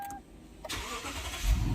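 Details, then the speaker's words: Toyota Land Cruiser with a no-crank, no-start fault caused by a faulty steering lock: after the steering lock was fixed, the starter whirs briefly and the engine catches cleanly, settling into a steady low idle; now starts normally. "അപ്പോൾ വണ്ടി സ്റ്റാർട്ടായിട്ടുണ്ട്. സ്റ്റിയറിംഗ് ലോക്കെല്ലാം പോയിട്ടുണ്ട് കേട്ടോ. സ്റ്റിയറിംഗ് ഓക്കെയാണ്, വണ്ടി സ്റ്റാർട്ടായിട്ടുണ്ട്."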